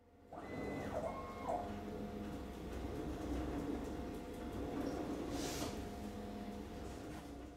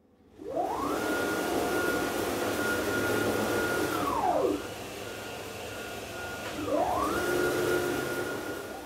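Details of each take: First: CNC gantry with aluminum frame, run over a year about 8 hours a day, moving without spindle: rough, gritty grinding and steady motor whine from straight-tooth racks; fixed by swapping to helical racks in about 20 minutes. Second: Aluminum-frame CNC router, run about 8 hours a day for over a year, after replacing straight-tooth racks and gears with helical ones: a clean motor whir rises, holds and falls as the gantry moves at 10–20 m/min, with no gear chatter. Quiet rack-and-pinion drive.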